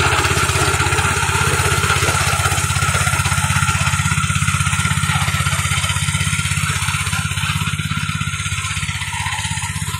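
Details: Fujijapan FJ601S 7HP tiller (2020 model) working at a customer's: steady low-throttle single-cylinder putter, about three firing pulses a second, even and unbroken; normal running.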